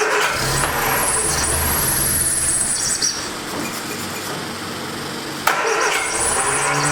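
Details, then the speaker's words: 1979 Triumph Spitfire, sat about 20 years, repeated steady cranking without catching, no fuel getting through; pump works, carburetor needle and seat suspected stuck, not confirmed. "Not get any fuel. I don't know if it's the fuel pump not keeping up, or the needle and seat is actually stuck."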